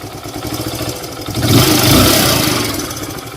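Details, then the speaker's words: Hero Super Splendor BS4 after tappet adjustment (was too loose) fixed tappet and timing chain noise, no parts replaced: revs cleanly from idle and drops back with only light mechanical chatter; healthy, normal engine. "लेकिन मेरा सिर्फ इसका test करके इसके engine की आवाज बिल्कुल स्वस्थ कर दिया"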